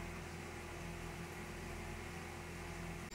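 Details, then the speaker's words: CNC machining a prototype belt part in a vise, after earlier chattering passes: steady even spindle and cutting hum with no chatter or squeal; cut now sounds smooth. "Now it sounds better."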